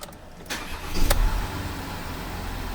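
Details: VW Amarok V6 TDI first start-up after coolant leak repair and cam cover replacement, no stored faults: short crank, catches cleanly and settles into a smooth, steady diesel idle; healthy start.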